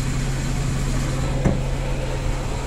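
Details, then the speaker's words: Car at idle with the clutch pedal pressed, a steady low whine or squeak over the engine from a damaged clutch release bearing, which if left will stop gears from engaging: clutch release bearing squeal. "jadi apabila rilis bearing ini mengalami itu mengalami kerusakan suaranya akan seperti ini"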